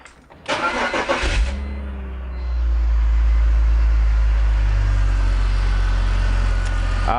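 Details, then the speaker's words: BMW E46 M54 engine after reseating a tube O-ring on newly installed oil catch can: short crank, then smooth, even idle with no stumble or miss; misfire fixed. "that sounds right"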